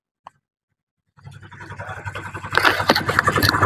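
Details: Honda Vario 110 carbureted scooter after carburetor service, start with no throttle: brief starter whirr, then the engine catches on its own and settles into a quickening putter; automatic choke and idle working, normal start.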